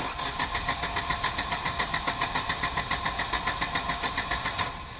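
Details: Volvo 240 with K-Jetronic injection, fuel pump running and the air-flow plate pushed up slightly while cranking: even starter cranking at about 3.5 pulses per second with a high hiss over it, never catches; crank no start, suspected K-Jet fault.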